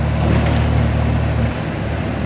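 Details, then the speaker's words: 1991 Ford F-150 4.9 six in first gear at about 30% throttle: deep rumble with uneven stumbling misfire and dip, smoother with more throttle; code 33 EGR failed to open, new plugs, cap and rotor; TPS suspected, poor mileage. "i mean i mean by giving more throttle doesn't like uh [ __ ] and misfire maybe i give the throttle maybe about 30 and that's when it does it"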